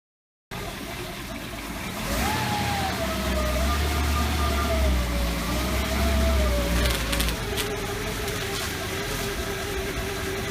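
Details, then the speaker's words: 1956 Cadillac Sedan DeVille driving at various speeds after engine repairs: thin high-pitched whine over road rumble, dropping in pitch as the car slows; transmission whine, suspected front pump fluid pickup problem, unconfirmed. "if you've been following this video series you'll notice that whenever I I drive the uh Cadillac in various speeds you'll hear a whining noise a high- pitched whining noise coming from the"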